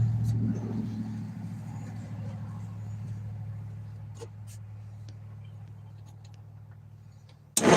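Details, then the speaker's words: Six-cylinder engine with stuck valves, cylinders four and five stiff: steady cranking drone with a faint, uneven clank, slowly fading; owner suspects a sticky lifter or valve. "So, sounds like a sticky lifter. And it comes all the way up, sticks, and goes down. And if there is only one of the six stuck, that's a good sign. But that clanking noise is kind of what's got me thinking."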